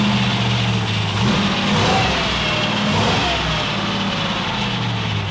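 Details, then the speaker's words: Kip's Willys Wagon just started after the starter was shimmed with washers: revs hang at a raised, slightly hunting idle with a steady hum. Exhaust sounds good; owner suspects a giant vacuum leak, unconfirmed; a loose power steering hose is also leaking fluid. "Exhaust sounds good. Oh, idle. Sounds like it's got a giant vacuum leak."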